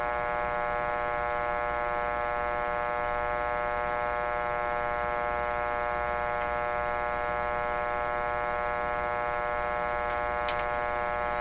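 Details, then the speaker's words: 1925 Magnavox Type D TRF radio, signal generator tuned near 900: speaker gives only a constant low hum and buzz with no variation and no station; detector tube likely not detecting. "no variation in the speaker at all okay chances are the detector tube is not detecting regardless of what's coming out of the speaker"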